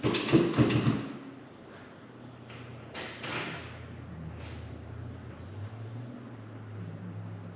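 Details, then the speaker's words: 1989 Volkswagen Cabriolet, first start attempt after sitting 2 years, after replacing mouse-chewed engine wire harness: quick cluster of sharp clicks at the key, then faint hum, no cranking; starter plug was left disconnected, starter had cranked before harness swap. "not great news I was just clicking when I hit the key hmm and it was it was turning over before I replace the wire harness so I know that the starter at least worked"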